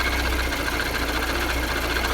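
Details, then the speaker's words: VAZ 2113 (Lada) gearbox whining with engine running: steady high-pitched bearing whine, suspected two failed fifth-gear bearings; gearbox rumble led to a decision to replace the bearings; car also has slight idle fluctuation, possible vacuum leak. "Сейчас там отчетливо слышен свист подшипников."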